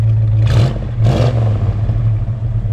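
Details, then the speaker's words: 1969 Dodge Dart GT with dual exhaust, start and revs: deep full rumble swelling with two quick throttle blips, clean and even with no rattles; starts nicely, exhaust sounds healthy. "you know very very smooth good and Rev sounds good dual exhaust sounds good"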